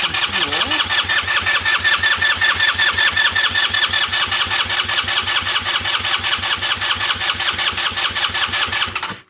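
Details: 2007 GY6 150cc scooter, parked since 2016, with an uncleaned carburetor and the fuel system being primed: steady starter cranking about 2.5 turns per second, but the engine never fires; crank, no-start; vacuum fuel pump stops when throttle is cracked.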